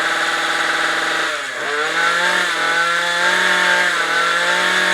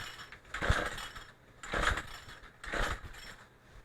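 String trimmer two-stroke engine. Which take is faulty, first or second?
second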